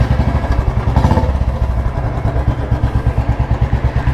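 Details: Royal Enfield Electra (model launched 2001–2002), kick-started since self-start is not working, after fixing complaint of missing and no pulling despite carburettor cleaning: deep, even single-cylinder thump at about six beats a second, healthy idle.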